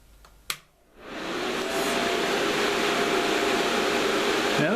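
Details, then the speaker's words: Fans refitted in sealed PA airbox through two newly cut holes, offset front and back: click, then steady airy rush with faint hum, no rattle; still fairly noisy but quieter than before, about 4 cfm less airflow. "that sounds still quite noisy, but it is quieter. It is quieter than it was."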